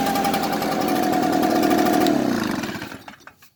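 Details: Echo two-stroke blower idle pulses unevenly, pitch sags, engine stumbles and dies; rough idle, cause undetermined.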